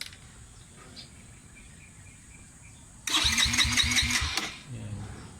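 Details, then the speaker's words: Long-stored motorcycle, new starter fitted, cranks but won't start: after a quiet lead-in the starter churns about a second and a half in quick even pulses, never firing. "na siya kaya lang ayaw ni mag-start"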